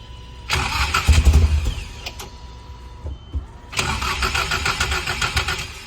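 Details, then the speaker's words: Nissan S14 or Lexus SC300 during fuel leak checks: two bursts of steady starter cranking, each about a second or two, with no catch or firing. Crank no start; owner suspects it needs gas put back in. "I think we got to put gas back in it"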